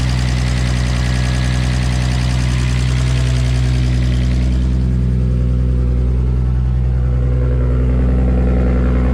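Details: R33 Skyline with a freshly rebuilt, fully forged RB25DET engine, warming up at idle after start: deep, even idle pulsing about three times a second, smooth and regular with no knocks, ticks or misses; normal idle.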